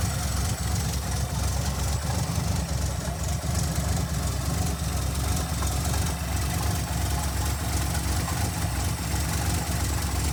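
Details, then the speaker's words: 1982 Ford V8 after fuel pressure regulator install, fuel pressure 6.5–7 psi (was about 9.5 psi without it): steady idle, lopes less than before, no black smoke or stumbling; normal idle. "it's not it's not loping as hard and it's not blowing black smoke out such a little idol"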